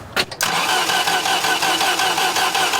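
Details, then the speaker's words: 1989 Dodge Caravan, 2.5 Chrysler engine, during head gasket rebuild: starter spins engine at steady even churn with no firing; ground issue fixed, fuel pump primes, coil triggering, still cranks but won't start, compression tested next. "So at first, we did have that ground issue, and that was solved, still not firing."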